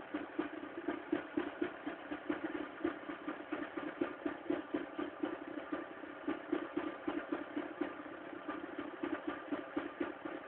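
Cold idle carries an uneven ticking clatter, about two knocks a second, over a thin engine note; cause not pinned down.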